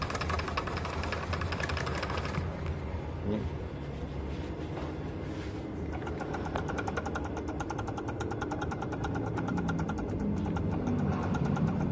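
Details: Mercedes C200 idling with a loud, steady rough growl from a worn power steering pump bearing, which made steering heavy; the pump was replaced. The AC compressor is also starting to make noise.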